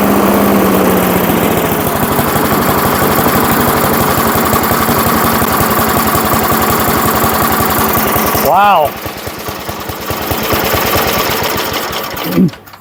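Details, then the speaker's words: 1980s Firestone 22-inch mower, single-cylinder started after about 20 years sitting, fresh oil and gas: fast, even putter for several seconds, then dropping away with no misfire. Normal running after restart. "I can't believe it was that easy."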